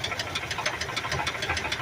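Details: 1982 Ford F-100 3.8L V6, carbureted, three-speed column shift, green long bed, started with hood open: quick, sharp, evenly spaced knocking rides over the idle without letting up, a connecting rod knock.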